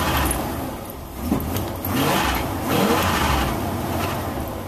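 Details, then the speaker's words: 1987 Ford F350 cold start after sitting a while, with a couple of pedal pumps before cranking. The rumble wavers and swells unevenly for a few seconds, and gray smoke is seen. Cold-start idle flutter. "Oh yeah, it did flutter a little bit. See some gray smoke."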